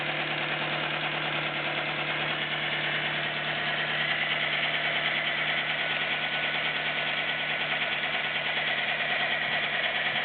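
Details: Nissan Micra 1.0 16V idling: steady idle with light quick top-end ticking, improved after belt tensioning, now only valve tapping suspected; cause not confirmed.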